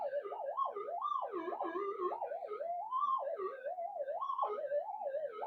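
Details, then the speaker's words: Minelab GPZ-7000 metal detector indoors, in noise cancel with gain lowered from 16, power supply cleaned up and shielded: threshold warbles up and down about twice a second instead of holding steady, from electrical noise in the room. "You can have a listen to all the peaks and troughs and you get an idea of the amount of noise in this room."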